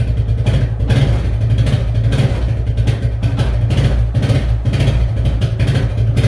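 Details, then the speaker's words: Suzuki ATV barn find, unused 10+ years, started on fresh fuel, now running with choke partly off: steady low burble with a slight rhythmic pulse; normal idle. "10 plus years guys 10 plus years and she's running that's awesome"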